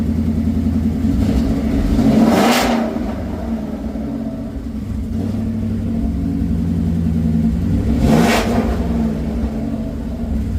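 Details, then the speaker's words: Coyote V8 swapped into a Ford Ranger with Mustang cams, freshly reassembled, engine not yet up to temperature: two quick blips rise and settle evenly over a lumpy cam idle, sounding rowdy with no knocking underneath; normal, healthy revving. "Sounds pretty rowdy again. The Mustang cams changed the sound a little bit."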